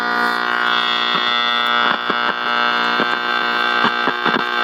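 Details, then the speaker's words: Estate-sale radio: constant loud buzzing hum with hiss and crackly dips while tuning, too noisy to hear any station; clearing somewhat as tuned. "Actually, it's clearing up as I'm tuning it. But there's no, I mean, you can't even try to listen to anything with all that noise."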